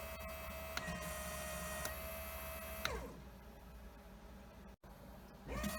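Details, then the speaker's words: Fuel injectors from a 1000 hp, 21 psi turbo Trans Am on E85, bench tested and cleaned: fast uneven light clicking over steady hum, stopping and restarting; two injectors found badly clogged, gummed up by E85. "they told me yeah two of them objectors they were clogged up pretty bad they're gummed up with EA T 5"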